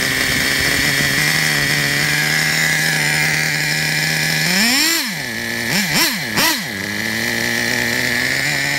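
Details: Traxxas Revo 3.3 nitro RC truck engine, retuned: steady high-pitched scream, then snapping cleanly through a few quick throttle blips; healthy. Engine good; truck needs new transmission, spur gear missing teeth, starter motor and one-way bearing.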